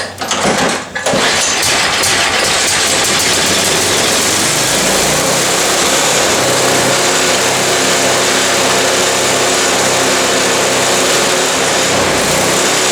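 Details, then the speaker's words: Cheap MTD snow blower small engine with governor issues, first run after work: catches, then holds a fast, high-pitched steady race well above normal speed; governor spring set too tight and needs tuning down. "so all right i suspected that it would run high and it is if you heard that"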